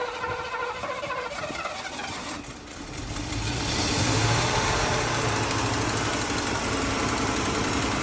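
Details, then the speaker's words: Mercedes W126 380SEL petrol V8 started after sitting 15 years, running on gasoline poured in because the fuel tank is removed; it catches and settles into a steady, even idle with no knocking and good oil pressure. "here's no knocking, none of that stuff. And the oil pressure is there."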